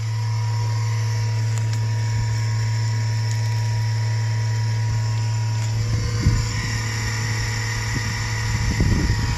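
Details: 2008 Chevrolet Express van: steady low buzz, about a hundred cycles, unchanged throughout with some rustling; source not pinned down, owner suspects the ABS module.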